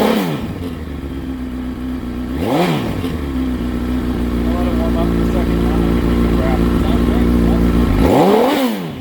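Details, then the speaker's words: 2006 CBR1000RR with 22,995 mi, after a shop inspection: crisp revs climb and fall cleanly back to a steady idle, no rattles or knocking. Sounds healthy; owner plans to inspect the water pump. "I mean, it sounds healthy enough."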